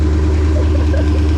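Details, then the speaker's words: Porsche 928 V8 started with starter fluid after 10+ years sitting, with fluids changed, Marvel Mystery Oil in the crankcase and Seafoam in the fuel: deep, steady idle with an even beat, possibly slightly high, but healthy with no ticking or knocking. "She sounds healthy. Bro, She sounds healthy. maybe it's hiding a little high. Maybe a little high, but she sounds healthy."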